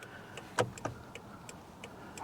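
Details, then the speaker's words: 2007 Honda Accord after replacing the bad turn signal/hazard flasher relay that caused buzzing and an erratic dash indicator: crisp, even ticks about three a second with no buzz, working normally. "all right so let's just see if it works now perfect no buzz"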